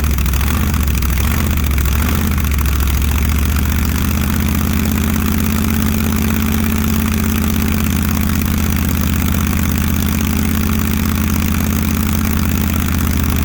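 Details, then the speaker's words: Supercharged big-block V8 in a 1968 Plymouth Barracuda at first start, with coolant added, loud deep lumpy idle that never smooths out while being timed; rough idle, cause not found, head gaskets later found leaking. "Got to figure out why it's idling so funky."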